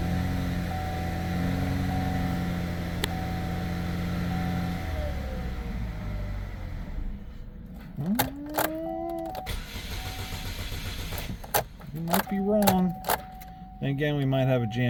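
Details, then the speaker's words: 2009 Chevy HHR 2.4L, found nearly out of oil from a failed PCV system, started after refilling oil: it catches with an uneven low thrum, backfires, stalls, then stumbles back; runs fine at higher rpm, stuck cam actuator suspected. "Ooh, that backfires. Run good RPMs here. I think we might have a stuck cam actuator because we run good at higher RPMs."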